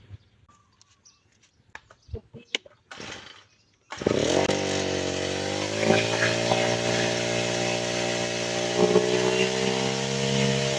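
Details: Grass-trimmer engine before carburetor tuning: it revs up high, then sags and stumbles near full throttle; the fuel mixture is too lean.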